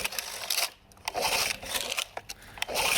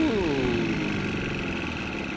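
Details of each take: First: Small outboard during carburettor tuning, mixture screw about 2.5–3 turns out after re-priming fuel: steady buzzy drone that dips briefly and recovers, holding revs somewhat better. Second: Outboard motor on a free boat in neutral: revs flare on starting, then sag toward a stall. Turning the rich mixture screw makes no difference; it nearly stalls in forward gear. Carburetor or fuel pump is suspected.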